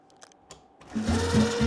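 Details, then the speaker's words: Homemade miter-saw elevator gearbox after loosening self-tightening nuts that had crushed it and locked the gears: motor spins up to a steady hum with clean gear whine, running evenly; gearbox turning freely, though it later locks again. "So, I'm going to loosen it up and then we should get some action. And now it should move. Yeah, let's go."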